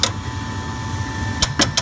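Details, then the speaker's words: Goodman gas furnace that heats only sometimes, reset from lockout with a fairly new inducer: a faint steady hum, one sharp click, then four crisp clicks as the gas valve energizes during an ignition attempt. "I don't know if y'all heard that click but that gas valve is energizing"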